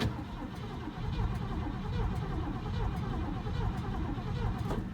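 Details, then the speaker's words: 1970 Ford Fairlane that has been sitting, with newer points and condenser cleaned: the starter cranks with a lumpy rhythm of about one beat a second, some strokes lighter than others. A weak cylinder is suspected. "yep it sounds like it is sounds like it's got a weak cylinder which is unfortunate but it's also been sitting"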